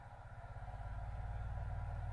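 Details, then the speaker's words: Infinity SM62 bookshelf speaker woofer after rotted-surround replacement, driven by a Leader LAG120B signal generator sweeping about 20–40 Hz: a clean, steady low tone pulsing evenly with no buzz or rattle. Normal low-frequency playback. "There's 20 hertz. 30. 40. Yeah, I can feel 40. Things are starting to vibrate."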